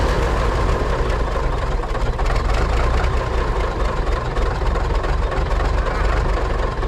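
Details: 1980s Marmon cabover semi with Big Cam Cummins diesel, unrun about 18 years: heavy rumble at steady low idle, no obvious knocks or stumbles; running, oil pressure only about 15 psi.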